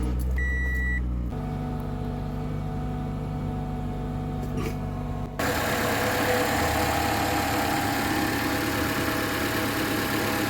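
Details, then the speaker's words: Toyota Camry 2.5 L engine at cold start on Mobil 1 0W20, before switching to 5W30: warning beeps, then fast light valve-train ticking over a steady idle; a Toyota technician says this is common on these engines. "I wanted to use a thicker oil because I am having some minor issues with this engine. First, when you start it up, there's a lot of valve train noise."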